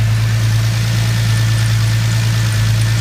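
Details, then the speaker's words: 2000 Lincoln LS after fuel filter change, no leaks: smooth, steady low idle with no misses, ticks or stumbles; fuel pressure about 30–31 psi at idle. "So sitting at idle, it's sitting at about 30, 31."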